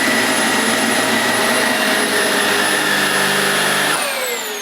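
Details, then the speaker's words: New Vax Air 3 Total Home upright vacuum, restarted to check a rumbling noise heard at first switch-on; steady even motor whine with no rumble or flutter, then smooth wind-down, running normally; rumble cause unknown. "No, it seems fine. I'll just have to watch out for that."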